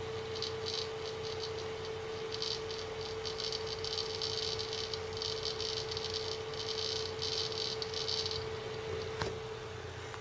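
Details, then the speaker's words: Seagate ST6000DX000 6TB 7200 RPM drive in enclosure on plastic table being lightly tapped while busy; fast irregular rattling ticks over constant spindle hum in clusters; seek noise gets much louder under vibration. "they seeks when it's busy the seek noises become way louder and I used to have a dual three terabyte raid array with two Seagate hard drives in it did the same thing"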